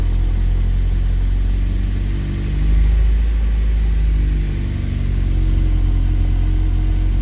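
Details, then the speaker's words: K24-swapped Honda CRX running: a smooth, even idle that is a little high, with a slight swell in speed and no knocks or ticks; the earlier noise is gone and the engine sounds healthy. "the engine's running great it's never ran as good it sounds great yeah the RPMs are a little high right now but it's running fantastic not a single noise the engine sounds great"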